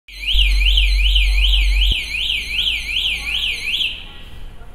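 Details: Shrill electronic warble sweeping up and down about two and a half times a second, then cutting out, heard when a motorbike entered a bicycle parking area: the parking-area alarm buzzer.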